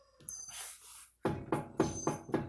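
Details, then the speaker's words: 1993 Honda Civic, wheel off the ground and rocked side to side by hand: sharp metallic clunks, about four per second; worn inner tie rod end, outer tie rod checked good. "Clank clink Clank so I have a bad tire idea I've already had the tire off I know which part it is it's not the outside outer tie rod ends the inner tower idea"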